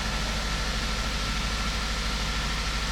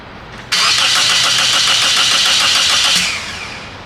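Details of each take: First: 2003 Toyota Corolla 1.8 with crank-no-start: engine catches and holds a steady, even idle with smooth low hum after the insurance company's ALDL plug-in adapter was disconnected; suspected cause of the no-start. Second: 2003 Toyota Corolla 1.8, towed in for no-start: fast even cranking for about 2.5 seconds with good compression but no hint of firing; no spark, later traced to the insurance company's ALDL adapter.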